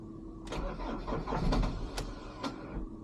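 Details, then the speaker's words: 2008 Ford Transit Mk7 2.2 FWD diesel, first start on a fresh morning, worse when cold: brief whirring crank fades with a few clicks, starter spins out without engaging, like a flat battery; starter spinning without engaging, later fixed. "And then the starter spun out. It didn't really engage."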